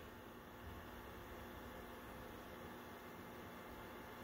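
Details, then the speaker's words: BenQ W1070 DLP projector cooling fan with high altitude mode on, speeding up to 83 Hz: steady even airy whoosh, faint hum, no rattle; sounds normal though the fan has warped or melted blade leading edges causing poor airflow. "that looks like it's speeding up a little okay we're up to 83 hertz"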